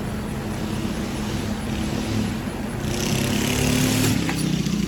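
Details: 2023 York AC outdoor condenser in cooling mode, after evaporator coil replacement fixed earlier freeze-up; steady rushing fan over even low compressor hum, no knocks or rattles, running smoothly and healthy.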